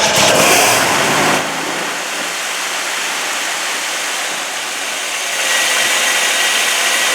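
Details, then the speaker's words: 1965 Oldsmobile Cutlass revived after years sitting, with compression around 125–130: it catches, settles to an even idle and revs smoothly without knocking. It is running better with nothing done, though redoing the gasket is suggested. "okay we got it running better here people we didn't really do nothing"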